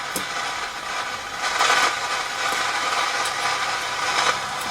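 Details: Hacker Super Sovereign RP75 transistor radio at minimum volume, tested after a transistor swap on the amplifier board. Steady hiss with irregular crackling bursts; a dry joint or faulty TR1/TR2 (BC149) is suspected, not confirmed.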